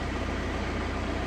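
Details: 2012 VW Passat just started after oil filter housing replacement, before warm-up: even, low idle with steady soft pulses, no knocks or ticks; normal idle.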